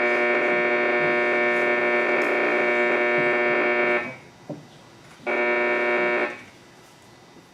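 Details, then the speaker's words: Arcing power pole about a block away, captured on an old TS690 transceiver with the S meter well over S9. A harsh, raspy buzz with dense hum that drops out briefly and returns over receiver hiss; the variation indicates power line noise. "You can hear a little variation in the noise too, which is frequently an indicator that it's power line noise."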